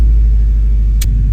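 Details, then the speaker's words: 2006 Subaru WRX, 173,000 miles, just after fuel filter, strainer and pump gasket replacement: pump primes, engine starts and idles with a deep, even rumble, no misses or knocks, no fuel leaks; normal idle. "No leaks. Yeah, buddy. No fuel leaks. Everybody's happy."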